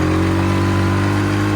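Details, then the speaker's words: Polaris four-wheeler that used to die when the gas was mashed, test ride on a not-yet-warm engine: steady, even note that pulls cleanly under throttle without cutting out, back to normal. "So it was doing this thing before where if you mashed on the gas, it would just die. So let's see. It's gonna do it again. Man, this thing's so fast."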